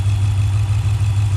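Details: 2018 Dodge Durango 5.7L V8 after swapping on a 6.4L Scat Pack intake manifold, with MSD box wired in, first startup after the swap; deep steady low rumble, even firing, no surging or ticking; normal idle.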